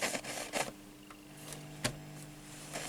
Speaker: I hope you heard the crack the cracking which is a plop I believe of the speaker and uh you hear here this noise coming from a dirty uh volume